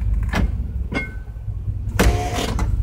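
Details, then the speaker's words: 1989 GMC truck with the rear end shot and the front passenger drive shaft broken: engine idles while sharp metallic clinks and clatters sound when shifting into park; cause unknown, possibly the broken drive shaft. "you hear it plenty clinking clattering so I don't know if you're something broken or could it even be the front broken drive shaft"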